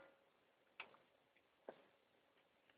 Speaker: And now it's back on first ball.